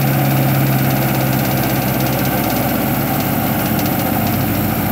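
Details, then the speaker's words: Honda H22A after cold start, fast idle valve air channel cleaned with throttle body cleaner to stop 2000-3000 rpm high idle surge: brief hard start, then smooth, steady low idle with no surging or hunting; normal idle. "so far is idling very nice actually here to sound very nice so we will see if we'll go for two test drive and see if it works out well hope this helps this is a h22 a by the way the idol is very steady"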